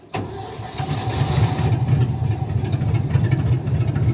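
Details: 1978 Ford F-700 after starter replacement with a Duralast starter listed for a 1975 Ford F-250: starter cranks briefly, engine catches cleanly and settles into a steady even idle.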